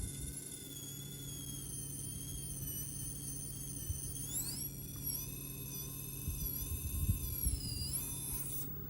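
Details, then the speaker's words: Castle Sidewinder Nano 1/24 brushless ESC with an outrunner motor in a complicated crawler truck, untuned: thin whine wavering in pitch, stuttering and shaking at low speed, worse than other systems. "Sort of the same kind of shake I was getting with the other systems, but way worse. Yeah, this is not good at all, guys."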